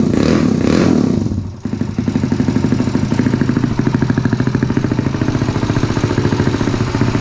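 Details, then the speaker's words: Honda CT70 with a 212cc engine, warmed up in a 41°F garage, valves adjusted many times: small revs, then a fast, busy mechanical clatter over the exhaust at idle; noisy top end, cause unknown, said to be typical. "I don't know what it is about the 190s and the 212s, but they're noisy. It just sounds like there's noise coming from the motor. I've adjusted the valves like 12 times."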